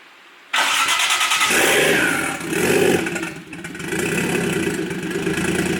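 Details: 1JZ-swapped Nissan 240SX S14 on a JZX100 ECU, throttle body and harness, with the idle air control port and vacuum lines capped: starts cleanly and catches straight away, a couple of blips, then a smooth steady idle with no stumble.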